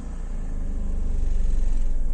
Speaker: और जो यह आवाज होगी यह बड़ी हुई होगी आप नॉर्मल वाटर थोड़ी बड़ी होगी क्योंकि इसका पीएम बढ़ा हुआ होता है